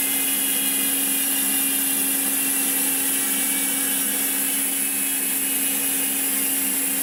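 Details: Koozer XM90 hub on Saracen Cross 1 bike, 5 days old, after 200 km of hard trails, recorded on camera mic: smooth, even, rapid ratchet buzz as wheel coasts freely, no grinding; healthy freewheel hub.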